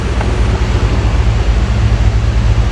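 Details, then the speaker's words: 2001 Chevrolet Tahoe Z71, 5.3 V8, after repair: steady, even idle with no stumbles, running smooth on all eight cylinders; the misfire was caused by a faulty injector, after coils, plug wires and plugs had been replaced needlessly. "Bueno amigos ya ha terminado parejito mire parejito de motor cero falla no entiendo"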